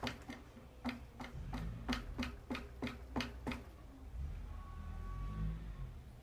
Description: Then I turn the LSR 10 clicks from open where the knocking starts. When I add 9 more clicks (the LSR setting at which I ride the shock), the noise becomes more prominent.